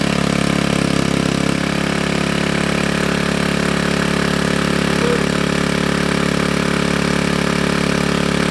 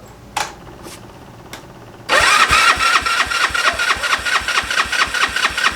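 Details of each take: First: GY6 engine with a 171cc big bore kit in a Honda Ruckus, freshly rebuilt and burning off assembly lube, after the stator-to-CDI wiring fix: a steady, even putter with no knocks or misses. A healthy, normal idle. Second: GY6 engine with a 171cc big bore kit, newly installed in a Honda Ruckus, cranked on choke at first start: a few clicks, then the starter spins at about two whirs per second and never catches. No spark, caused by stator signal and power wires to the CDI being reversed.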